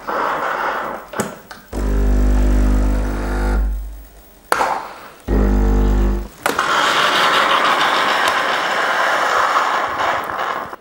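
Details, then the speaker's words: Breville/Sage Bambino Plus espresso machine manual backflush with blanking disc and cleaning powder or tablet: pump buzzes, pauses, buzzes again, then long hiss as solenoid valve dumps water into drip tray; normal backflush cycle. "if you hear that noise basically the water's been pushed through by the solenoid into the drip tray"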